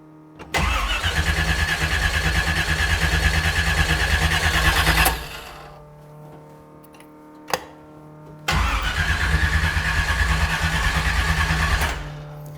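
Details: RX-7 (about 375 hp) with a brand-new carburetor and decent spark: long, even starter cranking at about three turns a second, a stop, then a second long crank with no catch. Cranks but won't start; fouled spark plugs.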